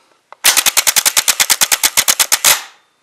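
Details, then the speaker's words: Truck starter removed and bench tested: rapid loud clatter, about ten sharp clicks a second for two seconds, no motor whir; solenoid engages but starter won't spin, internal fault suspected. Starter clicks but does not spin. "it doesn't spin yeah it's uh yeah it doesn't spin no more yeah that's what's wrong with it it still kicks in but it just doesn't you know do the spinning part"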